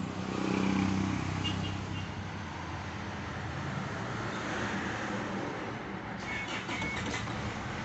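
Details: Isuzu D-Max 4JH1-TC diesel, VP44 pump tagged: idle sags unevenly at about four beats a second, then dies away; rough idle ending in a stall, cause not confirmed.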